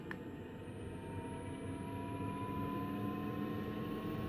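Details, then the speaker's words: Newly installed diesel heater in a 1990 Elddis Autoquest 270 motorhome, on its first test run, turned to maximum and then switched off. A steady fan roar with a slowly rising whine continues, which is the normal cool-down run-on. "hey when you turn it off it goes bonkers maybe we have to is it gonna go off well that's weird i don't appear to be able to turn it off it's still hammering away um yeah maybe it's just on some wind down setting"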